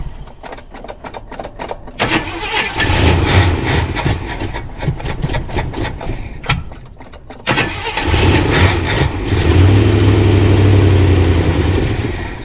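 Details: 1979 Jeep Cherokee, AMC 360 V8, sat 3-4 years unstarted; cranks, catches and roars briefly, sags, fires again unevenly; starts then stalls. Owner suspects low, bad-looking gas in a plastic jug used as tank.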